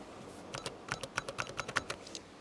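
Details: Toshiba HX-10 MSX computer after a black-screen repair, with the keyboard reconnected and the caps lock light working: a quick run of sharp key clicks, each with a faint short beep. The keyboard works normally.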